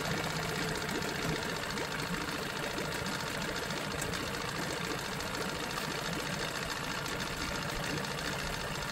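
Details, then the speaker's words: Johnson 9.9 outboard after carburetor kit rebuild and new gapped plugs: quiet, fast, even putter at settled idle, no stumbling or rattles, idling cleanly; normal idle. "pretty quiet when I'm be straight there"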